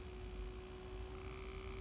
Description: Громкий шум в салоне от датчика температуры воздуха климат контроля - Форд Фокус 2.